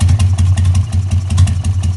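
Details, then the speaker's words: 2000 Harley-Davidson XL883H just after ignition module replacement, choke off; it had started fine cold but struggled, backfired or ran on one cylinder when warm. Loud, lumpy, irregular idle; owner suspects ignition timing is off: rough idle. "I don't think the timing's right because the bike doesn't seem to be idling right."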